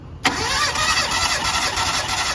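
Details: Mitsubishi Lancer with a misfire, suspected of loose compression; compression test, cylinder 3: the engine cranks with a steady, even beat; reads 175, healthy compression.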